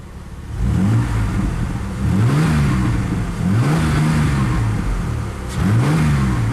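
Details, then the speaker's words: Misfiring Ford Ranger after replacing spark plug wires (plugs not changed): three clean revs rise and fall smoothly with no misses; misfire essentially gone. "alright let's finish up doing spark plugs or ending the wires I'm not gonna do the spark plugs just because the the miss is pretty much gone"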